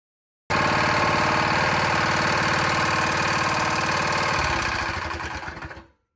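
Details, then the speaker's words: Honda GX160 engine on a plate compactor: a steady single-cylinder beat carries a hard, regular clack that started as the engine got hot, then it winds down and stops. The engine is judged dead internally. "yeah that engine's dead you that clacking starting as it got hot that's dead too"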